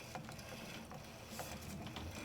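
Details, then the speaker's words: Hyper Stimulator Elite force-feedback sim racing wheel turned back and forth by hand: quiet, rough grinding with faint irregular ratchety catches from one force-feedback motor, alongside a burnt-plastic smell after it was left running. "And now when I turn the wheel back and forth you'll notice a little grinding in one of the motors in one of the force feedback"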